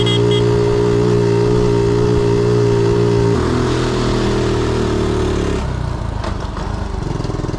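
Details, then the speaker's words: 1976 Honda Z50J1 single warming up to temperature after the points gap was set to about 15 thou: it settles into a smooth, even idle with no misses, easing as the revs drop. Normal idle after the fix. "I've got it set at about 15 thou points gap, and it sounds so much better."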